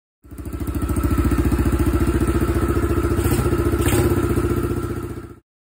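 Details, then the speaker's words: Apollo 70 Chinese dirt bike that used to stall and wouldn't idle, fixed with a new battery, new carburetor, slight tuning and premium fuel. Even single-cylinder thump at about 220 beats a minute, steady with no stumble or stall. Normal idle. "he uh is riding the bike now and he said it doesn't stall anymore"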